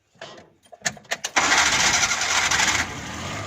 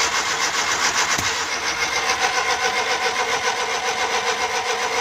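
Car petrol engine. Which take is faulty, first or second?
second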